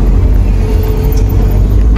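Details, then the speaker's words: Honda Civic test drive after replacing engine, transmission and center mounts and stabilizer bushings: steady engine and road rumble, no knocks, rattles or jolts; shift shock and clunk gone (clunk blamed on worn stabilizer rubber, shift shock on engine mount). "So far walang shift shock eh, hanggang kwarta. Alright guys, wala na yung kalampag, wala na rin yung shift shock."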